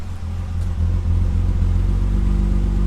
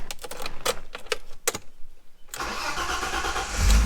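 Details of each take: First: Dodge SRT-4 (odometer reads 290,000 miles) idling after a throttle blip, exhaust chopping in an uneven, lumpy rhythm like a big lopey cam; cause not yet known, and the car also has a squeaky idler pulley. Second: Dodge SRT-4 just bought, odometer reading 290,000 miles: a few sharp clicks and a brief crank, then the engine catches at once and settles into a steady idle; normal start, starts right up with no issues.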